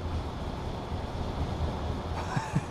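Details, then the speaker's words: 2003 Ford Expedition 5.4 V8, code P0231, stalls every 5–20 minutes: low idle rumble starts stumbling with uneven misses as fuel pump voltage and pressure drop; engine dying from a bad fuel pump relay in the central junction box. "voltage is gone fuel pressure is dropping the engine's starting to sputter pretty bad so so this thing is about to die"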